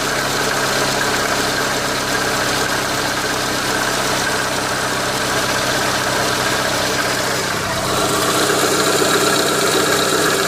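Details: Renault Megane 2 engine at steady idle: a faint, fairly regular tapping about four times a second under the hum; engine knock present, source unclear.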